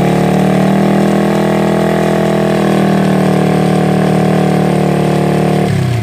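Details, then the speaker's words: Honda Revo single-cylinder bike after a new cylinder block fitted because it was smoking heavily; test start to check for smoke, runs steady and even at fast idle with no knocks or rattles, then dies away; healthy engine. "Artinya bagus ya teman-teman."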